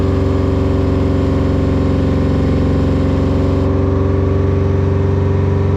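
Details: 1980 Peterbilt 359 Detroit diesel idling after fan fix: loud steady idle with even low drumming beat and no fan roar; runs smooth and healthy.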